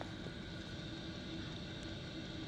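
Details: Chinese diesel heater mounted under the bed of a Peugeot Expert campervan conversion, heard inside the van; quiet steady fan rush with faint low rumble, even and unchanging; running normally.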